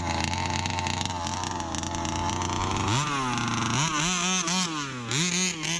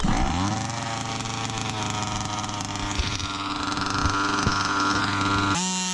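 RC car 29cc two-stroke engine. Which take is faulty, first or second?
second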